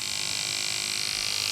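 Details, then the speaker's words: Andis SMC 5-Speed clipper after fitting a new front motor mount (was making noise): steady, even high-pitched buzz with no rattle or knock; cam running nicely, all speeds work, sounds much better, healthy. "well if you can hear it it's all good cam's running nicely all the speeds work"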